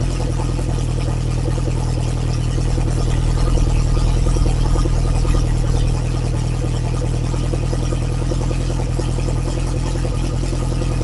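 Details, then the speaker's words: Lotus Esprit engine after refresh, Bosch injection still being tuned, started cold (only reached about 30–40°C): loud deep even fast idle, open exhaust, no misses or knocks; normal cold fast idle. "She is cold, cold, cold. And uh I imagine it's going to idle high to begin with, but uh let's let's turn the key and uh hear some thunder."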